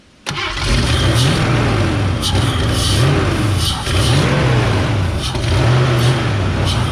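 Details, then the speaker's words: Worn Ford Foxbody Mustang, engine fed starting fluid with the throttle held open: it catches right after cranking and runs rough and uneven for several seconds, revs rising and falling. Runs briefly on starting fluid. "now you're gonna have to throttle it so technically this isn't going to run very long but go ahead and fire it up"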